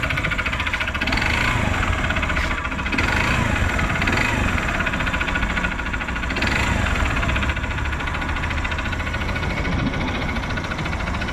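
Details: 2014 Honda Bros 150 motorcycle at idle, not losing oil; harsh, uneven metallic rattle and knocking, constant throughout, from a worn connecting rod and scored cylinder.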